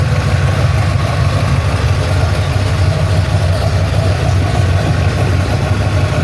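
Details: Ford Falcon XC GXL's restored 351 V8, warm with thermostat open, while idle is adjusted: a deep, steady rumble with an even firing beat, a touch fast, with no knocks or misses. Normal idle.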